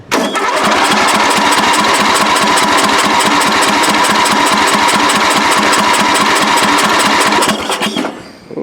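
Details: Free, previously drained riding mower, engine turns by hand, carb primed with fuel line clamped to prevent flooding, dead battery suspected: steady fast cranking about three or four turns a second with sputters, never catches; owner notes it flooding.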